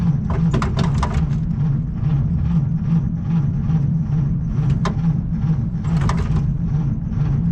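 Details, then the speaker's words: Slow, labouring starter churn with no catch on a 1937 Chevy Master Deluxe coupe, sitting about a year and a half, battery unhooked indoors; the weak battery can't spin the engine fast enough, possibly flooded, so a maintainer is connected. "Okay, so it's not turning over fast enough, so I got my little maintainer."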